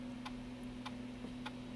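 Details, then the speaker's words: Macintosh PowerBook 165C floppy drive after reseating angled floppy cable: light evenly spaced ticks about every 0.6 s over faint hum while formatting; format passed, drive then reads disks; normal floppy formatting. "i'm gonna let this format and hopefully it passes the format"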